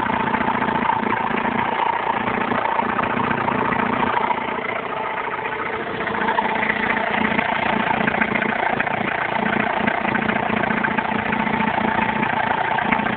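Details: Alfa Romeo 156 1.9 JTD diesel at idle. A thin, faint tone rides over the clatter, suspected to be belt noise; unconfirmed.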